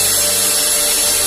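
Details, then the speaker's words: Mixer grinder after repair (it gave a burning smell and a flapping noise before; carbon brushes removed and refitted, wires rejoined): steady high-pitched whir at even speed, no flapping or rattle; motor running normally. "बिल्कुल सही है, देख लो कोई आवाज नहीं आ रहा, बिल्कुल बराबर चला गया मोटर में।"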